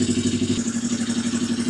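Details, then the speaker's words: 1982 Yamaha XS250 Special 250cc twin revived after sitting, just started without choke on a bigger battery, running on prime: quick, even put-put idle with steady pulse, no knocks or misses; idling fine. "Yeah, it doesn't sound too bad, that."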